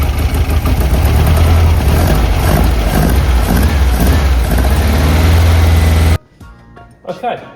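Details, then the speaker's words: Classic VW-powered Porsche 356 after a fuel tank repair, before carb tuning: loud, uneven idle with a lopsided pulsing beat. Twin carburettors are unsynchronised, one side much more open and the linkage far out, so it runs lumpy. "So, one side is much more open than the other which is causing it to run very lumpy as you can tell."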